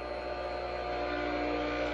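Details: Restored Craftsman 100 50th-anniversary table saw motor, oiled, rewired and cleaned, test-run after restoration: smooth, constant-pitch hum with no knocks, rattles or scraping; the motor runs healthy.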